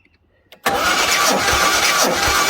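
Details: 1976 Jaguar XJ6 Series 2 cranked before compression test; readings about 100–127 psi, number four lower at about 110, others fairly consistent. Fast, even cranking with no drag or stumble.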